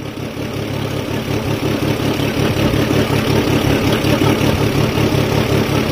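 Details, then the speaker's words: Fiat Stilo with weak-charging alternator, cold start: uneven idle with a lumpy shake about three beats a second over a low drone; rough running, owner suspects gearbox friction, cause not confirmed. "As you can see, it's a bit shaky."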